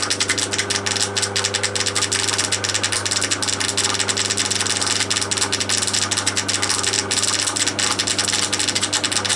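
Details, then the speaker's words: Crompton Parkinson 180 W (about 1/4 HP) single-phase induction motor running at about 1490 rpm after oiling bearings: steady hum under fast, uneven metallic ticks and rattles; owner suspects something loose knocking inside the housing. "i will want to go and pull it apart and get to the bottom of what's making that noise there's probably just something just being knocked around inside the housing"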